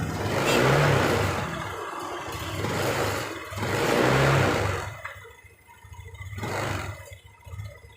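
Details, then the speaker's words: Honda Beat LED Deluxe fuel-injected scooter, code 7 history: revs surge unevenly with stumbling, popping note as throttle opens; hesitation, intermittent, EOT sensor suspected before scanner check. "Nah, itu blebek blebek blebek gitu, Bro. Ya, baru naik gasnya seperti ini."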